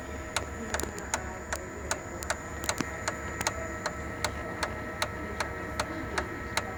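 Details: Sharp MX6240/MX7040 copier: steady ticking at about 2.5 clicks a second over its running hum, from the fuser drive gear area; the gear and bearing cluster is worn and needs replacement.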